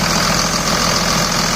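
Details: 2000 Dodge Ram Cummins diesel, short idle after bypassing the AC compressor pulley with a 65" non-AC serpentine belt, which the owner calls a success: steady, even rumble, no belt squeal or chirp; normal idle.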